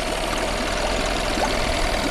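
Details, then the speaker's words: Cheap small outboard motor with a newer clean filter: even, steady buzz with no misses, surges, knocks or hesitation; running cleanly. "got no hesitation at all I think we got a good running motor here"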